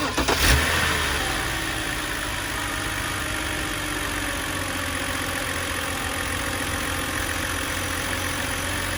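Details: BMW E91 325xi with N52 engine catching and settling into idle with a steady knock about four times a second; owner unsure whether a failed AC compressor or rod knock, not confirmed.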